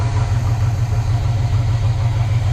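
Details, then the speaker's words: 1970 Chevy C30 V8 with rebuilt Rochester Quadrajet and new fuel pump on original fuel system, warming up: deep even idle that keeps running without stumble or miss. "it's alive got the new fuel pump in we were a little concerned it wasn't right but it just keeps running and running"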